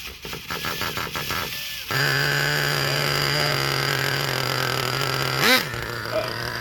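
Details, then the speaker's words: Traxxas Revo 3.3 nitro engine after full rebuild for failed bearings; several slow labored starter pulses then a steady motor hum, engine not catching; starter straining, owner suspects the one-way bearing. "I think it might be my one-way bearing. Let me know, guys, down below if you think this is my one-way bearing. I can hear it turning over, but it seems like it's kind of struggling to actually turn the engine over."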